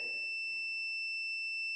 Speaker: put it right there, don't matter red or black, and then it should make noise if it's good. I think it's good.